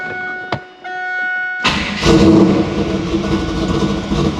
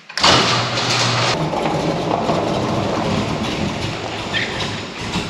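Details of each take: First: 1996 LT1 Camaro after another alternator swap to cure electrical interference; short crank, then smooth steady running, charging, no whine or buzz in the speakers. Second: 1996 LT1 Camaro with a failing alternator (third in weeks) causing electrical interference rather than a charging fault; engine cranks, catches, then runs lumpy with revs surging and sagging, misfiring, before alternator replacement.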